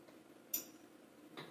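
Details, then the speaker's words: IKEA Tillreda induction cooktop on an Arlec smart socket, level one: two faint sharp ticks about a second apart before heating starts; cause unclear, possibly a self-test. "there's a weird ticking too okay now it's actually drawing power I don't know what that ticking was"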